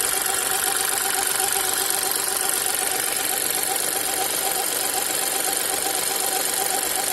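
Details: New VW T-Cross 1.0 TSI manual, 600 km, hot idle: petrol engine idles steadily with a faint rhythmic squeak chirping in the background; source unknown, owner asking.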